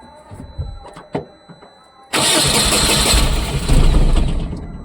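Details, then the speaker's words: Tata BS6 petrol engine (tampered with, under repair) after a relay swap: quiet clicks, then it catches with a loud, rough, uneven roar and starts but stalls repeatedly; problem persists. "गाड़ी start तो हो गई, लेकिन बार-बार बंद हो रही है। समस्या यहीं खत्म नहीं होती। इस कार में अभी भी कुछ समस्या है।"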